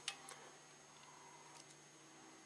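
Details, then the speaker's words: 1998 GMC Sonoma with EGR codes P0404/P0405 and an aftermarket EGR valve, during a scan-tool actuator test stepping to 100%: a few faint crisp clicks as the valve opens. Normal EGR valve operation. "50, 60, let's go all the way. Seems to be working just fine. 100%."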